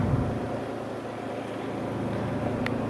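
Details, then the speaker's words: Kuppet compact RV washer/spinner combo (1040603600) spinning with the spinner plate in and braced until it settles: steady, even low hum with no bangs or thumps, the spinner running smoothly and balanced. "But sometimes even when you put the spinner plate in there, so you just kind of want to brace it a little bit until it gets to this nice smooth area."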